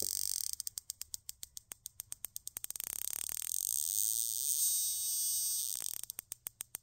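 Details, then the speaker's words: RCEXL CDI ignition unit bench-tested with an ignition tester and battery: crisp, even plug ticks at about three and a half a second, normal sparking. "then I connect the battery ensuring the polarity is correct you can hear the plug ticking away"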